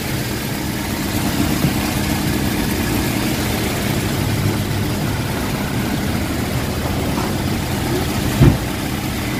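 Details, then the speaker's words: Toyota Revo after fixing a grinding power-steering belt tensioner by replacing only its bearing: steady, even, low idle with no grinding or whirring from the belt side; normal idle after repair. "so gawin natin paandarin na natin guys Tara pakiramdam natin kung okay na ba yung tira natin sig okay na yung ano wala ng ah Ingay bago na okay guys okay okay"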